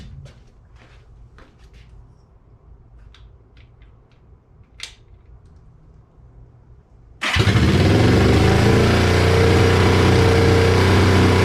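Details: 1973 Honda CL350 after freeing stuck spark advance: a few faint clicks, then catches and holds a steady fast idle without dropping out; carbs still jetted for 6000 ft, run at 2000 ft; high idle.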